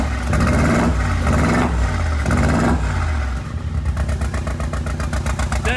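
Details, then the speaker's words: Rebuilt wrecked 2022 Mercedes G63 V8 with new Armytrix straight-pipe exhaust, just started, revs rising and falling, then a stumbling, lumpy idle. Misfiring; owner suspects the spark plugs need changing. "this tank rning on two cylinders it sounds like it maybe like we need to change like spark books"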